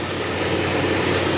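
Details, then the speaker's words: 6.0 LQ9 V8 with a small cam in an OBS two-door Tahoe, new exhaust with catalytic converters, just started after sitting 2–3 weeks: steady, even rumble and airy roar with no misses, shaking or knocks; smooth normal idle. "the engine is smooth. There's no shaking. Sounds like a damn sewing machine, right?"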